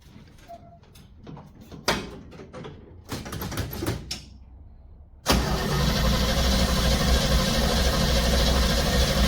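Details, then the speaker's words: Cold start of a 283 small-block Chevy V8 after sitting, fuel pumped up first, idling with no gas pedal: fires up and settles into a steady, even chugging idle, no smoke, stumble or misfire. Normal idle. "I'm not touching the gas pedal. This one honestly runs that good. There's the exhaust right there, chugging away. You're not seeing it smoke, burp, fart, nothing. Just runs."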